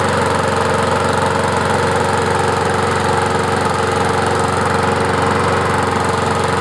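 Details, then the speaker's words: Murray 20-inch mower with 4.75 HP Briggs & Stratton, restarted after clearing hydrolock from overfilled oil: steady, fast, even putter with no misses or knocks while burning off leftover oil. "What I'm going to do now is I got to run it so it burns off all the oil. It's going about to get really smoky."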